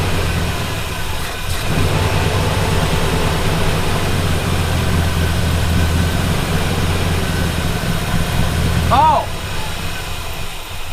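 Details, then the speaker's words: Classic Buick on a Route 66 trip, after a distributor failure: uneven, lumpy running with an unsteady low beat that never settles into a smooth idle; rough running from a huge vacuum leak, PCV left unplugged. "I'm so dumb. I'm like, why won't it run right? Huge vacuum leak. Completely forgot to plug in the PCV."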